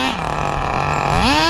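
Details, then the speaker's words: 2002 Tamiya Terra Crusher 1/8 nitro monster truck, running rich and oily: the engine buzzes, then its pitch climbs sharply under throttle without matching drive. Brake and reverse work, but the transmission slips; owner says it is not a loose slipper clutch or spur gear. "So the reverse works, the brake works, but it just spins out when you're applying too much throttle."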